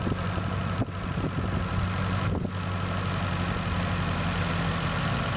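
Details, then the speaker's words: Toyota Corona with rough, misfiring idle complaint: steady low petrol idle with a couple brief dips, settling as the carburetor air screw is turned and throttle lowered; rough idle smoothing during carburetor adjustment. "untuk gasnya kita turunkan sedikit, kayaknya sudah mulai langsam ini lur. Nah ini sudah mulai langsam."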